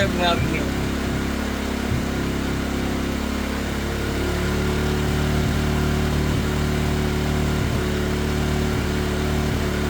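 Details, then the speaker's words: 2017 Polaris Ranger 570 EFI, idle now around 1,200 rpm. A brief rev settles into an idle that stumbles every couple of seconds with a skipped beat. Intermittent misfire; owner suspects the coil or a spark plug. "Now we've got an issue with it just missing. So I'm going to see my rev up. See if it'll show you that. Like it cuts out"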